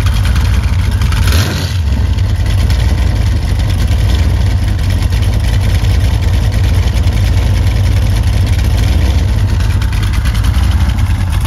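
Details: Freshly rebuilt 355 Chevy small-block V8 with Summit 1105 cam, ProMaxx heads, Weiand intake, forged pistons and slip-on mufflers that leak a little: deep, lopey, steady idle with a slightly choppy cam exhaust beat, even and healthy throughout.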